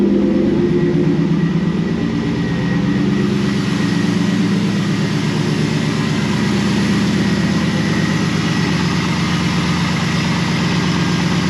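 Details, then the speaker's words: 2001 Pontiac Trans Am WS6 LS V8 idling after replacing the starter (owner suspected failed solenoid kept cranking after start) with an AC Delco unit: deep, smooth idle, even pulse, no ticking, grinding or stumbling; healthy. "well there you have it we got the starter out replace that and it's good to go it started up it's fine"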